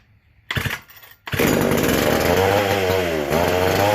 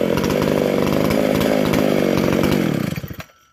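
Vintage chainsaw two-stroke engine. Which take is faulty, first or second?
first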